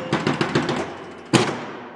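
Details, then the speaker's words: 1973 Gottlieb Jumpin Jack electromechanical pinball after reset repair: at ball loss the unit scans for down drop targets with a rapid machine-gun rattle of ticks, then a solid clunk as targets reset; reset cycle working. "when i lose the ball you'll hear it scan through that 10 times on that on the uh looking for the down targets did you hear it it sounds like a machine gun when it goes off"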